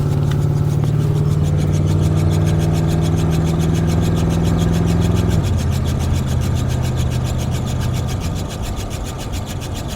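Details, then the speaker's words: Lifted Suburban with large tires, heard while driving; deep steady droning hum under road noise that shifts pitch with speed and worsens faster; owner suspects a hanging brake caliper, cause unconfirmed. "So, can you hear that? Obnoxious. It gets even worse when you go faster, believe it or not."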